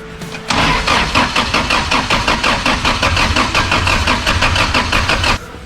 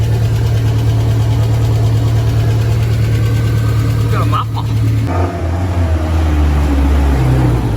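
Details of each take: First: Jackaroo petrol engine after distributor work, starter spray used: steady starter churn about four to five beats a second for five seconds, never firing; cranking no-start, timing issue suspected but unconfirmed. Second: Jackaroo (Jackie) engine, back running after coolant leak fixes: steady, even idle that picks up cleanly when revved and settles back smoothly; no knocks or misses.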